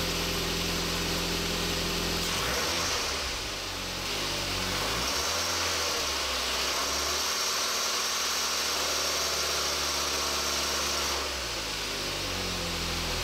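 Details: Timing belt tensioner defective, engine with 300,000 km; rough rushing whir that swells with revs, noise in the 2000-3000 rpm range as the loose tensioner lets the timing belt flap; risk of engine damage, not just a ribbed-belt idler pulley.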